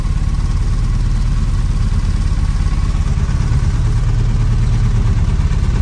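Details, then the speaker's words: 1978 AMC Hornet idling with number five spark plug wire pulled; deep lumpy idle with an uneven pulse three or four times a second, cylinder dead and the whole dash shaking; misfire from disconnected plug wire. "all right that number five there was hidden when I pulled the spark plug off seen it die"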